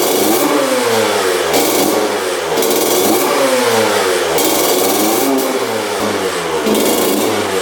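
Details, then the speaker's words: 2000 Honda CR125 two-stroke dirt bike, bought with a severe bog (disconnected power valves suspected among causes), on fresh 40:1 fuel; crisp clean blips with no stumbling, idle brought down from high to low; running properly. "going all right seems like it's running pretty good it's idling really high let's get that idle down all right there we go idling nice and low"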